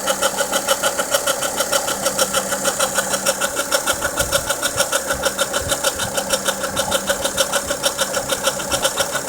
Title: Volvo v50 engine noise after timing belt replaced